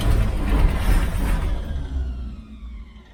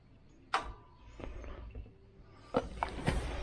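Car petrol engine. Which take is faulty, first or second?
first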